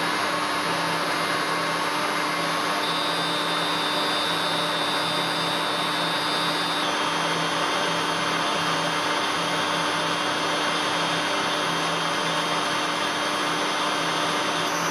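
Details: Three-phase motor wired in star, fed from single-phase 220V via 1-phase-to-3-phase 220V frequency drive; steady high whistle from IGBT switching at low carrier setting over even motor hum; normal and harmless, left as is.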